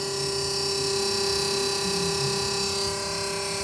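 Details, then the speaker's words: Small fridge converted from 220 V to a new 12 V compressor, running and cooling well: steady high-pitched whine with a faint fast buzzing flutter. Owner unsure whether the noise is normal and wonders if too much gas was charged. "Mas eu acredito que esse barulho aqui, né, se for para passar a noite inteira, cara, vai incomodar um pouco para dormir."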